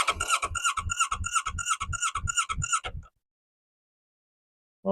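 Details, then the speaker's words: 2019 Kawasaki Z650/ER6 auction bike, unknown engine, first crank with charged battery via start solenoid, out of gear, checking it isn't seized: even starter churn about three compression strokes per second for three seconds. Turns freely; normal cranking. "that sounded healthy as healthy as it could sound"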